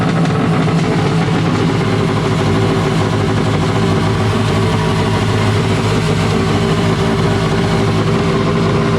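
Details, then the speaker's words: Wave Blaster jet ski after a 701-to-1100 engine swap, running after a rubber O-ring was removed to increase cooling water flow for a warm silicone pipe. Loud, raspy two-stroke drone holds a steady pitch with no stumbling or knocking. Normal running. "Geez, this thing's a damn beast. It's so loud, you cannot talk at all."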